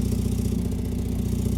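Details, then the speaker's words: Mazda MX5, 56,000 miles, cold start, idling, listened to at the rear: low, lumpy puffing that keeps chuffing with a hand over the tailpipe; the exhaust is blowing, an exhaust leak. "Come to the back, you can listen to the exhaust. See how it's blowing a bit if I just, yeah. You can hear it, put my hand over it."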